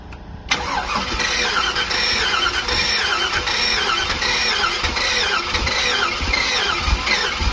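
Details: Box truck small-block Chevy V8, low compression, restarted after a crack leaked coolant and water was added: cranks, catches, then runs ragged and uneven with a hissy, squealy edge; owners suspect a head gasket issue, unconfirmed.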